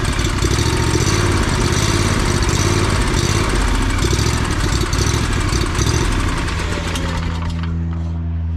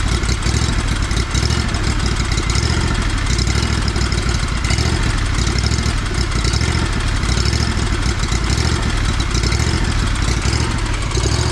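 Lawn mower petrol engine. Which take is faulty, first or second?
first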